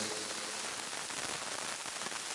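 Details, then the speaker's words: Behringer FX2000 virtualizer effects unit, cables good: dense crackling hiss like light rain or frying on the audio output during mic test; fix is opening it and cleaning the PCBs, especially input and output sections. "Seperti suara hujan rintik-rintik ya atau suara goreng apa gitu ya. Kerosok kerosok kerosok gitu ya."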